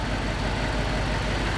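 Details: Gen 1 Audi R8 restarted after fault codes were cleared, uneven stumbling idle with a lumpy low beat that never settles, a misfire; rescan then shows eight faults, including supply voltage.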